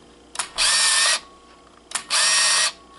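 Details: Kodak KC30 35mm camera in auto flash, torch switched on and off: a click then a smooth half-second high whir, twice; shutter fires and film advances normally.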